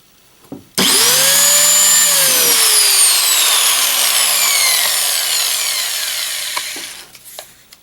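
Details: Porter Cable PC60TPAG angle grinder, about 7 years old with many hours, after brush replacement: clean whine spins up fast, holds a steady high pitch, then coasts down smoothly with no rough crackle; much better than with worn brushes.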